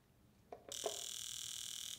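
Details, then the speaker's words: Evo X fuel injector bench-tested: a couple of single clicks, then a fast, even, high-pitched buzzing tick for about a second. The injector is now pulsing and working. "yed some carb cleaner in it kind of Hit It On The Ground a few times and now you can hear it actually pulsing so this one is now good to go"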